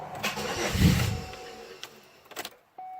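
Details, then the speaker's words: Warm no-restart on a Chevrolet Malibu with an emissions issue and check engine light returning: shut off after running a while, the starter cranks briefly but the engine never catches and goes quiet, then only a chime. Owner suspects the crank sensor. "I'm gonna turn it off I'm gonna see if it'll restart and there's a tendency not to restart once it's been running for a little while"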